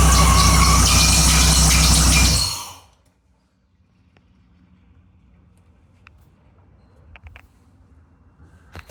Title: Squealing sound was the smog pump was seized working to remove and start and run again